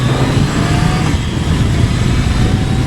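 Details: Kawasaki ZRX1100 held around 4,000 rpm after securing a loose screw to fix a long-standing buzz/rattle, later traced to the headlight adjuster bolt: a steady four-cylinder drone, smooth and even, with no buzzing or rattling from the front end.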